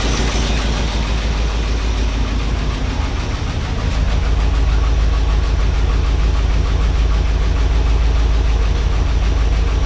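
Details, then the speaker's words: 1978 Ford F-150 with 460 V8, idling: heavy lumpy idle with a regular dropped thump about three times a second and lots of air puffing from exhaust; misfire from a worn-flat camshaft lobe. "all right guys so as you heard in the uh when we were just running it a little bit ago we've got a miss and it's and it sounds like there's a big air a bunch of air coming out the exhaust"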